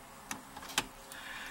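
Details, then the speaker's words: VW Beetle (1967) with a no-start, key on after a repaired wire and reconnected solenoid connector: a few faint sharp ticks against quiet. The electromagnetic jet solenoid is clicking on. "Okay, I heard my electromagnetic jet click on."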